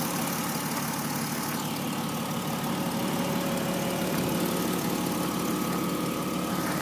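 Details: 2006 Jeep Wrangler Sport, right-hand-drive ex-mail vehicle, automatic, 4WD, new battery: steady six-cylinder idle with even beat and faint belt hiss, possibly from added air conditioning; runs great, normal idle.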